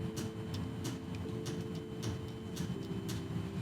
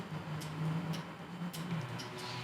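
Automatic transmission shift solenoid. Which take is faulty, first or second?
first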